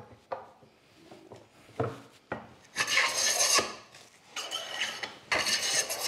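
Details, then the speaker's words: Hand plane blade chatter on hard timber after softwood gave a hollow ring; harsh, uneven rasping on each push stroke; owner suspects a really thin, poorly supported blade flexing into the wood and bouncing back out. "so you got a really thin blade that's poorly supported and i believe it actually when it engages the heavy with the thick the harder timber it'll flex and in flexing it's going to go down into the wood and then it'll bounce back out of the wood"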